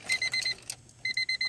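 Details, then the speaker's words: 1999 Honda Civic LX that won't crank (also overheats): the warning chime sounds as two groups of four crisp, evenly spaced high beeps, showing the battery works; the no-crank cause is still unknown. "Oh, and as you can see, the battery and everything's working. You can hear it beeping."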